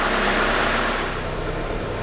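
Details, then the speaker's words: 1992 Mitsubishi Galant VR-4 after vacuum leak fix and idle screw adjustment, around 1000 rpm: smooth, even idle with no surging and a steady rpm needle; idle surge resolved. "you can hear the surge is gone and the needles not even fluctuating really at all"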